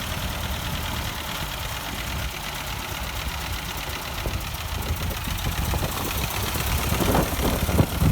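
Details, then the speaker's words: 1952 Ford 8N tractor after freeing a stuck-open exhaust valve by tapping: low steady putter around 220 beats a minute firming up; firing evenly, still burning off oil and excess fuel in cylinder and muffler. "they're running a lot better now still burning off all the oil that was in the cylinder and probably all the excess gas and stuff that went into the exhaust muffler"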